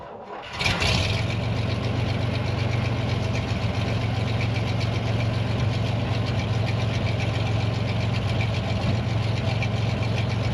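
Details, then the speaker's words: 1961 GMC cab-over air-brake truck, bought at online auction, started cold-ish at about 70°F outside after trailer transport to build air pressure; catches right away and settles into a smooth, even low-rumble idle, no knocks or misses. Normal start and idle. "Let's see how she fires up cold. Or well, like warm at 70° out, I guess."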